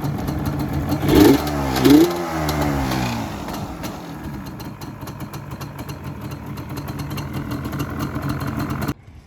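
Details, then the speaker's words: Yamaha Banshee two-stroke after a kickstarter rebuild kit: throttle blips, then a crisp, even popping idle. The annoying rattle is gone and it sounds clean and healthy. "So I would say that definitely fixed that annoying rattling noise. You can't hear it at all."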